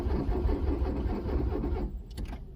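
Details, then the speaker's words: Truck diesel unused for many years with a completely flat battery, cranked using a lithium jump starter: slow, labouring crank with a low uneven churn that never catches, then fades; no start. "The jump starter's doing its job, but the batteries, I got a battery that's just so flat dead."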